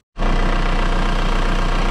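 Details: Skoda Octavia 1.9 TDI diesel after injection pump replacement and water pump work, coolant being topped up and bleeding: deep, even idle with a steady low throb, no knocks or rattles; healthy.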